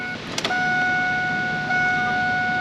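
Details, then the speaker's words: Pontiac Firebird with a transplanted LS1, before its first start in at least 25 years, with 5 gallons in the tank: a steady high electric whine with the engine off, running about a second before cutting out. Normal fuel pump priming. "I hear the fuel pump running. On these fuel pumps, they'll only run for like a second or so before they shut off."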